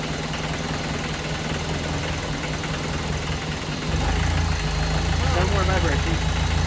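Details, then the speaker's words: VW 1.6 NA diesel in a Ford Ranger, first start after rebuild with a new piston and cylinder head following a shattered cylinder 1 exhaust valve; heavy, lumpy idle with a shaking knock about four a second; air in fuel system suspected: excessive vibration. "normally vibrates a lot but that seems like a lot more than"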